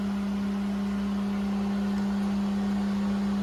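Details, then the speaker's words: Well pump running after replacing the 40/60 psi pressure switch; a constant, even electric hum at one pitch without surging or rattling as the switch points close and the pressure gauge rises toward 60 psi; running normally. "The points are closed on the back, so it should be running. I hear it, yep. So the pressure gauge is rising."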